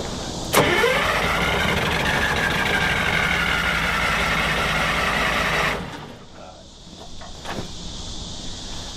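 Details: Drott excavator diesel that sat 15 years cranks steadily at about four beats a second for five seconds without catching. Stop and throttle are on separate cables and the kill seems broken; cause suspected, not confirmed.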